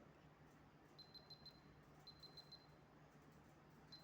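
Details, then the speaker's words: Hioki clamp meter on continuity mode testing a bottle-type fuse link in a capacitor bank: high short beeps in groups of four over quiet room hum; continuity means the fuse link is good. "That means this fuse link is also good. Like this we can check in everywhere the capacitor bank whether the fuse links are okay or no."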